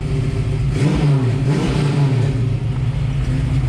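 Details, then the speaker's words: 1967 Mustang road-race car with refreshed V8, engine still a little cold, driven about 8-10 miles since: quick throttle blips climb and fall cleanly, deep even exhaust note with no misses or knocks; healthy free revving. "See some of that throttle response. Still a little cold, so I don't want to go too crazy."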